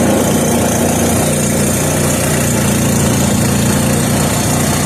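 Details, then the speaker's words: 3hp Briggs and Stratton horizontal-shaft engine running on new treated fuel after starting on choke: settles into a fast, even, steady run with no misses or surging. Already a runner. "well that was an interesting turn of events so this engine's already a runner"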